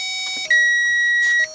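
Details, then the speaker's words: Volkswagen Beetle cranks but won't start: at key-on, steady test tone jumps higher for a couple seconds then drops as test light shows fuel pump circuit powered; pump itself judged faulty, to be replaced. "when I put the key on over here there's a positive side light that's going to light up red and it's go on for a couple seconds and the tone that you're hearing is also going to change"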